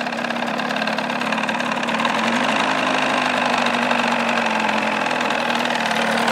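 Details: 1979 Evinrude 35hp two-stroke outboard idling without its cover in a filled water tank while warming up, meter reading 83.6–96.4 dB: a loud, high-pitched, steady idle with no knocks, misses or hunting; healthy.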